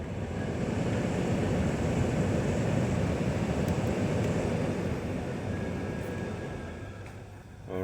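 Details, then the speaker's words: 2010 Honda Odyssey (code 1241, blower formerly stuck on), after repair: smooth steady blower rush through all fan speeds, fading away when switched off with the climate control; blower now operates normally after circuit, relay and fuse checks led to the faulty part. "so let's turn this you hear it so now all the speed working on the fan so when i turn this off it's off again activate the fan"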